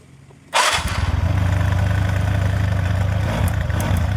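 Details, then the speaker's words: TVS Ntorq 125 BS4 scooter hard to start in the mornings; starts at once and holds a raised steady fast idle with light ticking as the auto choke works, temperature sensor at fault; normal cold-start fast idle. "കൊടുക്കുമ്പോൾ tick tikka sound കേൾക്കുന്നത് ഇഷ കൊടു കഴിയുമ്പോൾ ചോക് auto Varkey അതുകൊണ്ട് rising ആയിരിക്കുന്നത്"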